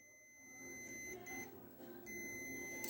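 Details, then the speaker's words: Fordson Major E27N tractor, multimeter test of the coil: two faint, steady high-pitched meter beeps over a quiet room show continuity through the coil at about 1 ohm, so the winding is intact. "There we go. We've got continuity through the coil, about 1 ohm."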